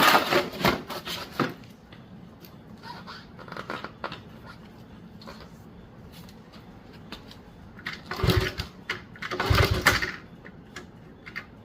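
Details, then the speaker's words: 1977 Honda CT70 sitting 20 years, compression test while kicking over with no spark: firm, even chuffing strokes, nothing catching; strong compression, about 180; owner suspects dirty points for the no-spark issue. "Oh man, it's really good compression. Jeez. About 180. Nice."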